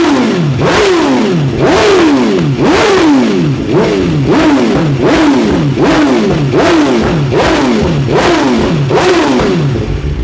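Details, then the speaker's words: 2023 BMW S 1000 RR after ECU flash to stage 2 tune with Sprint air filter and relocated IAT sensor: strong, even rev blips about once a second, clean rise and fall, no popping, throttle response good; healthy engine. "Hopefully it just starts now and has a nice idle at about 1800 RPM. Let's see what we get. Yep. Yeah, you can instantly tell there is a difference."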